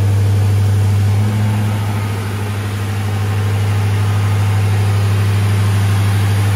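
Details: 2003 Crown Victoria Police Interceptor V8 under a body-dropped 1979 F-150, after fixing the leaking exhaust and swapping in a good battery. Stock mufflers exit over the axle, and the fuel pump is heard. Deep, even V8 burble with no ticks or puffs.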